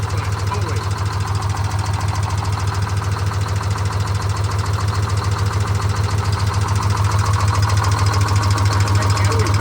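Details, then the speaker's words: Detroit Diesel 6-71 being flushed with repeated oil changes after coolant contaminated the crankcase: a heavy diesel idle with a loud, even clank about three times a second, from the engine's air compressor clattering as it pumps air. "it's so much quieter and nicer to listen to about that air compressor clanking around making air"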